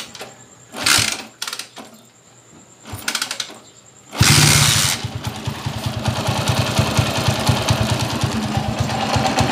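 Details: Honda TMX155 motorcycle, engine still hot: catches and idles with a loose, rattling clatter from a worn crankshaft bearing with play and rod knock; the bike is also rough in first and third gear.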